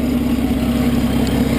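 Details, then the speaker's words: 1940 Chrysler Windsor coupe idling: steady engine with a fast, even puffing pulse, somewhat loud, from an exhaust leak where the pipe joins the manifold, needing a gasket replacement; otherwise runs smooth. "here's the engine and it has an exhaust leak where the pipe collects to the manifold on the other side so it does sound a little bit a little bit loud you can hear the exhaust leak"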